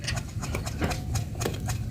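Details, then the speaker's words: Yamaha Fino CVT final-drive (gardan) bearing turned by hand with irregular dry crunching and clicking. The bearing is rough but not yet loose; the scooter made noise at 30–40, and the ratio gears are also somewhat worn. "Nah kedengeran enggak tuh suaranya dia udah kemerusuk"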